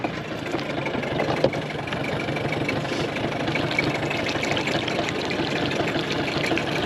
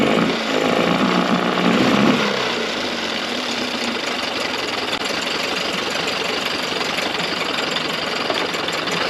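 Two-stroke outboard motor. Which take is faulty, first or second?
second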